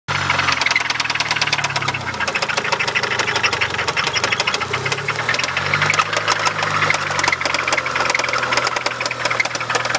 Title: 97 talon tsi engine knock